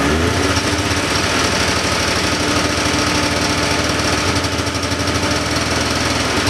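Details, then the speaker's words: 1979 John Deere Cyclone 340 two-stroke snowmobile, probably bad fuel, choke on: ragged uneven putter with irregular low pulses, never steady, struggling to stay lit; fuel pump works but pulls little, owner suspects fuel starvation or a carb idle circuit problem. "well she was definitely running on more than starting fluid that time I was pulling fuel from the tank though it didn't look like I was pulling a lot so the fuel pump is definitely working I was running it with the choke on there at the end"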